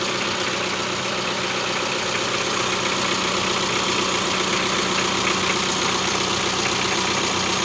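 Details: Mitsubishi L300 diesel at idle after adjusting injection pump timing to cure white exhaust smoke from incomplete combustion; even steady clatter, no ticking knock; white smoke now gone.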